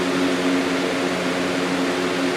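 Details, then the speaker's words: New Lasko CoolColors box fan on high: smooth constant rush of air over a soft steady hum, no rattles or ticks. "that's low and as you can hear knock on wood it's just wind noise"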